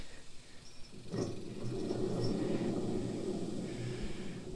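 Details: Blades spun by hand on a used commercial zero-turn mower deck give a smooth, soft whir coasting down evenly, no grinding or rumble; spindle bearings sound fine.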